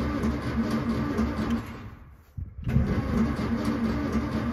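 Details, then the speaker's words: Royal limo with dual SU carbs, sitting 30 years since 1990, starter freed by tapping, clutch pressed: engine turns over in even repeated chugs, pause, more cranking, never fires; engine not seized, cranks but no start. "okay i'm gonna push my foot in on the clutch just in case listen to that it's turning"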